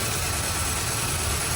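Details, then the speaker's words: 2001 Ford Ranger 2.3 L, code P0171 too lean: uneven, lumpy rough idle with a constant airy hiss; large vacuum leak at the intake manifold, not the throttle body. "so we have a leak um eva lick so and the car is running really rough"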